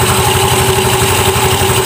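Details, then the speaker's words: Automatic scooter after cleaning dirt, sanding rust and tightening bolts in the clutch area to cure judder (gredeg) at initial start: steady, even tick-over with faint constant hum, no judder or knocking; judder gone, normal idle. "sudah normal. Nah, ini nanti geredeknya sudah hilang, Guys. Geredek di saat star awal tuh dia sudah hilang, ya."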